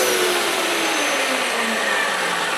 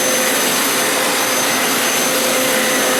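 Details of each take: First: Hoover Elite Power Scrub carpet steam cleaner used as a vacuum with no water: motor pitch rises to an airy whine as the nozzle loses contact where the carpet dips at the threshold, losing suction. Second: Hoover Elite Power Scrub carpet cleaner used as vacuum to suck up cleaning solution residue after deep clean wash cycle: even, high airy roar with steady motor whine; suction motor healthy and running normally.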